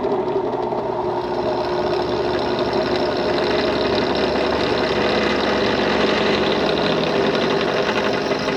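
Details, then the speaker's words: Restored HDC DPMINI15 mini drill press, likely early 2000s, stored about 10 years, anemic motor, belt on slowest speed, drilling a large hole: steady motor drone with even cutting hiss, no knocking or squeal; normal drilling. "It makes holes in wood, aluminum, and mild steel. I'll call that a success."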